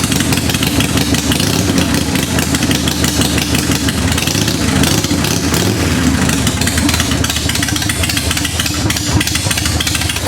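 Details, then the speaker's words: 1990 Harley-Davidson 883 EVO Sportster after reinstalling intake manifold and Keihin CV carburetor and fitting Ultima single-fire ignition: loose, lumpy V-twin idle with crisp throttle blips, the earlier suction-type whistle now gone; normal idle. "Oh man, that is a healthy sound. Listen to that. I'll tell you what I don't hear anymore though. I don't hear that whistling sound, that suction type whistling sound I was talking about."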